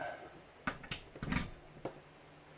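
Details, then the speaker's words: Magnavox RR1337 W101 color TV, chassis 13S401, after replacing failed soft-start resistor and an out-of-tolerance capacitor: quiet room, sharp clicks and short low buzzing thump as degauss coil fires at power-on; set runs with picture, fixed. "goes the degaussing circuit. Let's turn it on. It's running. I hear it."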